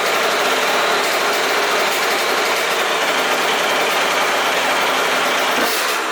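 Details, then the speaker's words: Aprilia RS50/YZ85 hybrid two-stroke after clutch plate swap and basket filing: busy, high-pitched idle holding steady without stumbling; healthy at idle, though it bogs under throttle (owner suspects tuning issue); normal idle. "all right so in that clip the bike sounds super healthy at idle but as soon as you really get onto it you can kind of hear that like that like really takes over as soon as you start to like get on the gas"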